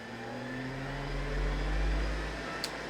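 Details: PDP-11/73 with a real SCSI hard disk powered from the box's power supply: a low steady whir builds and settles, then a single sharp click; sounds like normal spin-up, though the controller scan later fails to find the drive.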